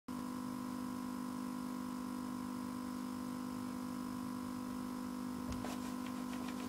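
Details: Frozen desktop PC hung while playing a video, speakers looping a steady low-pitched droning buzz; happens often, sometimes recovers after 5-10 minutes with a graphics card notice, otherwise needs reset.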